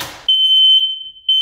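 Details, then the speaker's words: Smoke detector after replacing AA batteries, test button pressed: loud, piercing high tone around 3 kHz; working normally. "that's how you test it out after changing the batteries"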